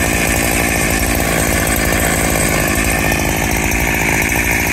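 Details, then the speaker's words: Freshly rebuilt Husqvarna 365SP chainsaw with original cylinder and piston, still needing a carb kit, cutting dry oak. It was too rich on the low end and lumping along; after tuning, a loud even two-stroke idle with no lumping or surging. "Seems to be idling quite smooth now. Before she was lumping along."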